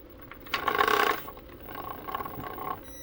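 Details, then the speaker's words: Brushless motor in a 1/8 scale RC hydroplane; a short whir, then faint rapid ticking about four times a second as the motor only twitches and heats to 119; the ESC has failed. "twitchy oh it's getting hot yeah oh yeah yep it's shot geez 22 esc shot"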